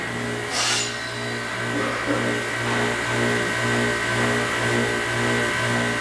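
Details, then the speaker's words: Belovac vacuum forming machine, plastic heated to forming temperature, oven rolled back, table raised: short rush of air as vacuum opens, then steady even pump hum without surging; normal vacuum forming cycle. "okay so our plastic has reached the proper forming parameter so I'm going to roll the oven back raise the table and open the"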